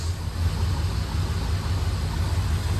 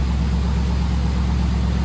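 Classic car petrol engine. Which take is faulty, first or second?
first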